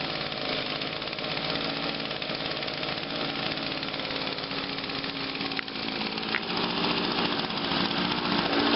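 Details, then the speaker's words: 2009 Echo PB 251 25.4cc handheld leaf blower, owned over two years, fired first pull after choke and about five primes, steady fast idle, crisp and even with no sputter or surging; normal running. "look got to love your Echoes that's another one that fired on the first pull"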